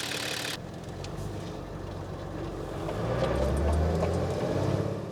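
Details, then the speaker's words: Nissan Patrol diesel after a secondhand 11mm boost-compensated injector pump replaced the old 10mm pump, under load: pulls and rises to about 2000 rpm, then dies out and won't rev past two grand; it is underfueling. "up to about 2 Grand it's good and then it just dies out"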